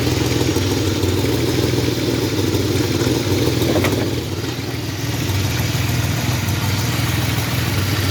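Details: 1985 Chevrolet S10, 2.8 carbureted two-barrel V6, 4-speed automatic, transmission not yet installed, almost 60 psi oil pressure; steady idle with busy, uneven clatter over exhaust note; knocking of unknown cause, not yet checked.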